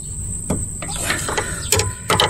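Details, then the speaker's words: 2001 Ford Taurus front end with an over-bumps rattle; a pry bar levers the sway bar end link upward, giving irregular metallic clunks and creaks, a loose knock; owner suspects the plastic link ends; worn sway bar end link, replacement to be ordered. "yeah you can sure hear it so I am very happy about that so I know what my problem was so now I got to go do is order new sway bar link"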